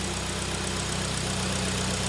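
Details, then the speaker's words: 2011 Hyundai ix35, G4KD engine, FWD automatic, 157,000 km, LPG fitted, after repair of loud knock from scored cylinders, heard from outside running on petrol: smooth, quiet, even idle, steady low hum, no knocking or ticking. "работает ровненько работает тихо абсолютно никаких посторонних шумов это самое главное"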